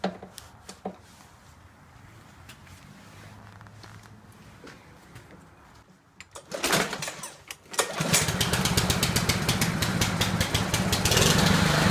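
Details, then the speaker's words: Cub Cadet 12A-18MZ256 push mower, apparently Chinese-made engine, oil checked: after pull-start runs fast with slightly uneven, wavering chug; rough running, owner says carburetor needs cleaning. "I had to check the oil the oil is good let's go ahead and start it does need a carburetor cleaning you guys will hear that"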